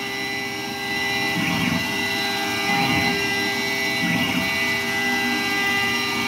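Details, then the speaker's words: Modified Langmuir MR-1 gantry CNC mill slotting an aluminium quench plate, 8,000 RPM spindle, 235 IPM feed, 0.040" depth, full-width slot: steady high spindle whine with even cutting hiss, no chatter or bogging; running great. "Running great."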